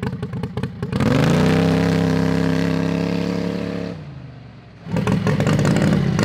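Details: Modified Harbor Freight 670cc V-twin (~55 hp) mini drag rail, running after two years sitting; driveway pulls, revs climb smoothly to a steady high drone and drop back, even exhaust note, engine healthy.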